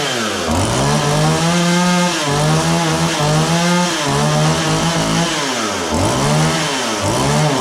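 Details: John Deere CS40 chainsaw just after installing a replacement chain oiler, hard starting, maybe not fully warm. The pitch sags hard and recovers repeatedly as the throttle is blipped. It idles fine but bogs on throttle. Owner suspects carburetor mixture; the fix attempt failed.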